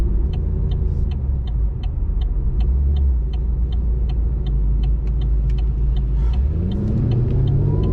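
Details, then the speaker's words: 2017 Chevy SS sedan with LSA supercharged V8, street driving: steady drone under light throttle with sharp ticks about three per second; goes very rich at certain part-throttle positions, cause unknown. "you can hear it going so there we go very very clearly this thing does not like me I'm not a hundred percent sure why it's doing that"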